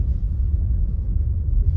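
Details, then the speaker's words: 2021 Maruti Baleno, about 12,000 km, driven over rough road after the rear fuel tank float plate was reset to its mark: only a smooth low road rumble, the earlier rear tak-tak knock is gone: normal ride over rough road, no knock. "ആ sound കേൾക്കുന്നില്ല കേട്ടോ"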